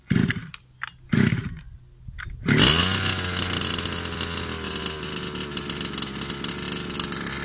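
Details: Rovan Baja 5B-style two-stroke engine brought in for not sounding right, after carb cleaning, fresh fuel mix and a different carb: catches after a few pulls, revs but wavers and stumbles unevenly; rough running, carb or piston ring suspected.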